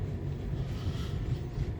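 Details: 2011 Nissan Cube after underbody repair of a rattle over unpaved roads and speed bumps, done with no parts cost: steady low rumble on the move with no metallic rattling or clatter; normal running, rattle gone.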